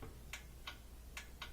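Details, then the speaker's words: Thin twin laundry center washer set to spin: only sharp uneven timer clicks, no motor hum, power present; lid switch suspected, not confirmed. "So when you set it for spin, you can try the different parts of the dial, but if you get no sound, then almost always that's going to be a problem with this thing, the lid switch."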